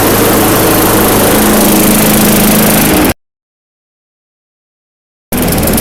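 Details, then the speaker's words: Craftsman yard vacuum with a 4.5 hp Tecumseh engine, bought non-running in a lot of power equipment: small single-cylinder running steady and even with a smooth hum, no misses or surging; normal running. "cool that's awesome i'm so happy about this this worked out well"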